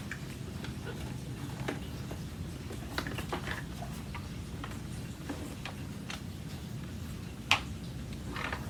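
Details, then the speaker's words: Brand-new Aeros U162C upright vacuum cleaner shaken at unboxing: light, irregular plastic clicks from a loose plastic support piece and its screw, which fits underneath the motor, rattling inside the unit. "okay there's something in there rattling around what is rattling around in there"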